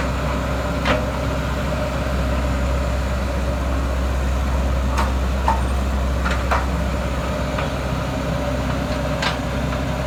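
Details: JS220 excavator 4HK1 diesel, after replacing cam sensor and engine wire harness for a no-start with codes P0340, P0341, P1345: even, steady low rumble at idle, no knocks or misses, light clicks; runs healthy.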